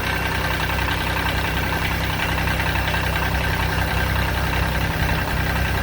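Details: 2006 Kubota BX23D tractor, D905 three-cylinder diesel, restarted after valve adjustment and valve cover check for leaks: steady diesel clatter at an even idle, regular firing pulses with no speed change; running normally.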